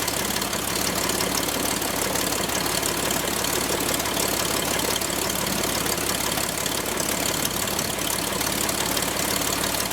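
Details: Franklin 165 aircraft engine test run after repairs to a blown cylinder: steady, even firing with strong uniform roar and no misses or knocks; running normally.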